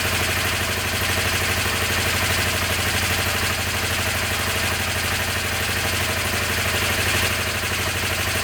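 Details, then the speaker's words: Honda CB250N twin started stone cold on choke after work on the dead right-hand carb idle circuit without removing the carbs. Steady, even idle with no misses, both cylinders firing and both exhausts warm; fixed. "that was a good start that's running both exhaust are War okay"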